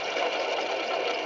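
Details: 1997 GMC Safari 4.3 liter van, engine off, belt removed, alternator pulley spun by hand: dry, rough, gritty whirr; worn alternator bearing, idler pulley also noisy.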